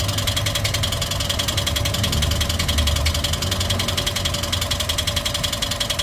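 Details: Toyota 1NR-FE engine at idle before teardown: light, rapid ticking riding on the engine note, possibly valve-train, cause unknown; ticking at idle.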